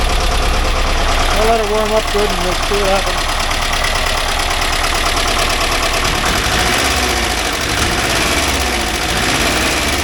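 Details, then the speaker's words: 1982 VW Vanagon Westfalia air-cooled flat-four after restoration and fixing starting and fuel problems, idle adjusted: fairly even, steady idle with no misses or knocks under background noise; normal idle, oil light out, charging 14 volts. "very well running pretty good now"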